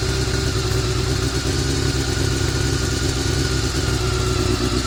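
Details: Honda CBR400RR after riding at Ebisu Circuit: busy mechanical clatter over a steady mid-pitched engine note at constant speed; abnormal top-end noise, suspected from the cam gear train, unconfirmed.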